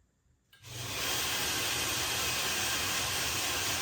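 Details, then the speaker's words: Blackfox 2"x72" belt grinder, newly assembled, motor run in reverse to check the factory wiring; the belt tracked about 1/4 inch: the motor spins up within half a second to a steady, even hiss with no knocks or rubbing; normal running. "For now, we'll just make sure the motor's running in reverse correctly so that we know that they've done their job at the factory wiring it."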